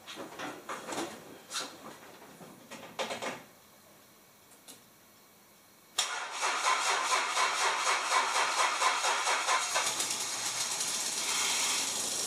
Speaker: well that was exciting it looks like that whole system is running much too rich